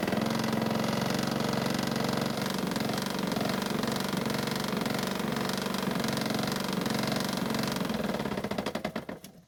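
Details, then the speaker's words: Honda mower started with the blades removed: fast, steady knock about three per second persists, ruling out the blades and clutch; a bent crankshaft is suspected. "well this is not what I wanted to see or hear the noise is still there and I think I know why now"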